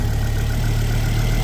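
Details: Ford Focus ST225 idle before road test after oil filter housing replacement (failed breather seal; idle had hunted at times): deep, even low hum, no knocks, ticks or misses; no leaks; healthy idle.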